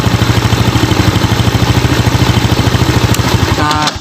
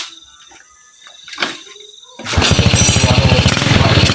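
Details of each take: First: Steady, even single-cylinder thump at quick idle, no stumbles, on a Yamaha Jupiter Z kick-started with the brown ignition-switch output wire plugged directly into the CDI socket; runs strong and healthy. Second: Uneven, choppy beat stumbling under throttle instead of pulling clean on a Yamaha Jupiter Z single that sputters when gassed; dirty or corroded connections suspected, spark plug and ignition checks next, cause unconfirmed.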